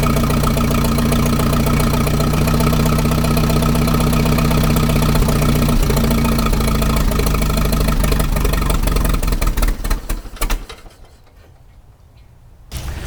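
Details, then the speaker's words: 1961 Oliver 550 tractor with Marvel Schebler carb, in neutral with choke and a little throttle: fires and runs rough for about ten seconds, then fades and dies. This is fuel starvation, and it keeps running only on ether spray. "all right so uh hang on so I think we're probably going to pull the carburetor back off obviously if you give it an external source of fuel if you just keep spraying it with ether it stays running"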